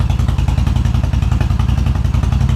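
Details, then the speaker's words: 2000 Suzuki Intruder 1400, said by previous shop to have low compression, fuel fed directly to carb bowl, cold on choke: steady, even low thump with one small hiccup, no misfire; has compression, carbs probably unsynced, plugs likely needed. "It runs. A little hiccup there. Cards probably aren't synced. Probably needs plugs, but we don't have a misfire. It's got compression."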